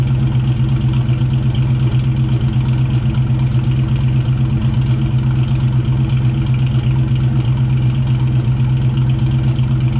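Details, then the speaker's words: 1999 Mustang GT with Nemak block, first start after engine build: steady, even idle with smooth low rumble, no knocks or ticks; about 70 psi oil pressure while running, transmission line leak noted; engine alive and healthy, normal idle. "but all in all it's alive it was showing about 70 psi of oil when it was running so i'd say that's a good sign it's alive"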